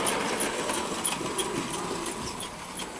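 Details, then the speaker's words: Bachmann OO gauge SE&CR C Class 0-6-0 steam locomotive after running in: whirring with a high regular squeak three or four times a second from the loco's dry coupling rod cranks, cured by oiling the crank points. "so after this locals had a bit of running in it seems to be making a squeaking noise as you can hear that's definitely coming from the loco not the tender"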